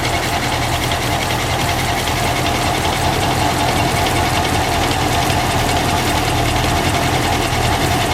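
A steady idle with a dense, uneven clattering knock running through it at roughly two to three beats a second; the cause isn't clear.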